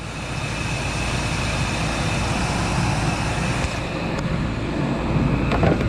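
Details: Ford F-150 roadside no-start, running on jump pack with charging at 14.5 volts: steady low engine drone with some road and traffic noise, no knocks or misses; truck running fine after the jump.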